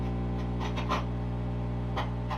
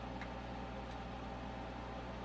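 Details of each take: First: MTI-era Ampeg SVT bass amp, recapped, with added master volume and bias set, turned all the way up; steady low mains hum with faint clicks that almost disappears as the hum balance control is adjusted. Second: MTI-era Ampeg SVT bass tube amp after recap, new pots and added master volume, turned all the way up: steady low mains hum with faint hiss, no crackle, quiet once the hum balance control was adjusted.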